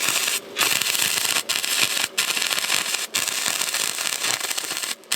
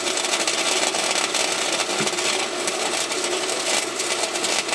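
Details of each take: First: Harbor Freight Titanium 125 flux-core welder, welding a thin-metal smokestack back onto the muffler of a John Deere 210LE loader: harsh crackle breaking into short gaps, settings not quite right; erratic sputtering weld arc. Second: Harbor Freight Titanium 125 flux-core welder in cold, bitter outdoor weather, welding the smokestack back onto a thin muffler on a John Deere 210LE loader: an even, continuous crackle and sizzle with no pops. The arc is smooth and stable.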